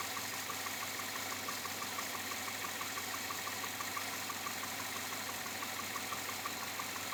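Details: 2007 Chevrolet Avalanche, about 86,000 miles, at idle: faint, fairly regular light knock about three per second over a steady idle hiss; owner unsure if engine knock or piston slap, unfixed after four dealer visits.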